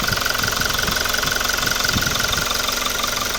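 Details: Toyota Revo diesel with over 140,000 km, idling after an intake manifold cleaning: a steady, even clatter around three beats a second with a faint whistle above. It runs smoothly and nothing sounds abnormal.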